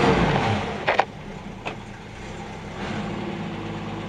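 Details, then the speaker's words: 1965 Mustang coupe, six-cylinder, manual, start out of gear. A couple of sharp bangs early, then it settles into a low, even idle with a smooth, regular beat while the alternator light goes off. Normal idle. "so you can see, you can hear it idling. A few revs, alternator light goes off."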